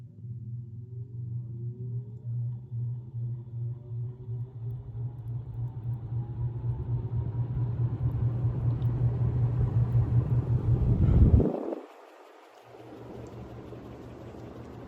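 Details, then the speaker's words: 1936 Emerson 86641-AA Roundnose antique ceiling fan, restored and converted to two-speed, starting on high speed: faint rising whine over a soft hum, the normal light motor whine while spinning up. "these all have a little bit of a motor wine getting up to speed so I'll uh see if you can hear that"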